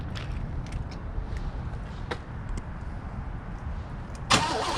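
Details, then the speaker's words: 1988 Chevrolet Caprice Classic Wagon V8, first start after sitting untouched 2006–2021, fresh battery, fuel poured into the carburetor: quiet, then a sudden loud catch as it fires, briefly running and backfiring twice through the carb; engine not seized. "oh well it fired it does run it blows everywhere it didn't blow the belts off of it it's not locked up but it didn't run very long it backfired twice through the uh carburettor over here"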